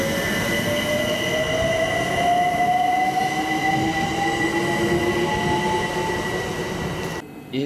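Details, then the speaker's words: UK IGBT traction inverter, as on the 2009 stock and Electrostars: a steady whine with one tone climbing from about 600 to 900 Hz as it moves from fixed carrier into pattern switching during acceleration; normal. "to solve this we can start out at this fixed carrier frequency but as we get faster we need to go back into pattern bsing this is heard on trains like the 2009 stock and the electro Stars"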